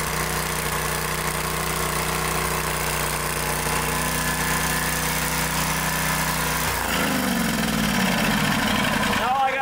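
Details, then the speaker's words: 2-cylinder small engine previously running on one cylinder, after replacing both intake manifold gaskets: smooth, even firing with a steady note and no missing beats, revs dropping away at the end; now running normally on both cylinders. "do is put it all back together and get it back to them so now it's running on both cylinders"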